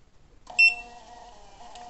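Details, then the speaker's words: Mini Bluetooth thermal printer (58 mm) printing 40x40 adhesive labels from a phone: short beep then steady light buzz about 1.5 seconds as label feeds; normal printing. "se eu clicar de novo imprim mais uma tá vendo aqui ó e vai imprimindo"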